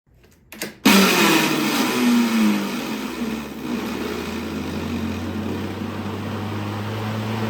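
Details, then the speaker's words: Craftsman V60 electric lawnmower at startup and shutdown. Harsh rattling scrape with a falling whine, then a rough drone; the owner first suspected a bearing or brake. The cause was the worn plastic cooling fan rubbing. Cooling fan rubbing. "right in this video we are working on a craftsman electric mower and as you heard on Startup and shutdown it's making some crazy racket so it sounds like maybe a bearing or maybe there's some kind of break that it's not it's you know stopping the engine"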